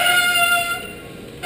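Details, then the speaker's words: Bicycle front disc brake, pads contaminated by oil that seems to creep down the fork onto the caliper; after Squeal Out deglazing treatment and caliper flushing, braking is strong but a high, steady whistling squeal still comes and goes as the brake bites; oil-contaminated pad squeal. "It is effective braking. We do have good power, safe to ride, but unfortunately still a bit noisy. Our squeal is still with us, so we're going to go a little old school technique and see if we can help the situation."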